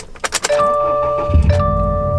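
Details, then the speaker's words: 2017 Subaru WRX STI, about 26,000 miles, new 550 CCA battery replacing a dead one under warranty: a few quick strong cranking turns, then it catches at once and settles to a smooth even idle; healthy start. "The way it's supposed to be, nice and smooth."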